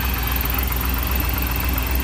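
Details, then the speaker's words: Truck started after about a month sitting, right after a new battery was fitted: steady idle with a faint rough ticking over the engine note; suspected from the AC compressor pulley, possibly just from sitting, unconfirmed. "Sounds like it's coming from the AC compressor pulley."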